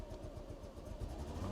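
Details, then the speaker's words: Mercedes W124 300CE misfires and stumbles when more throttle is applied, smooth when revved slowly; worse as the car gets hotter and it conks out when driven. Owner suspects a fuel issue, possibly the coil. "yeah Mass fires and goes up and I think as the car gets hotter that that gets worse where you can hear it misfiring as it goes up I'm pretty sure it's a fuel issue"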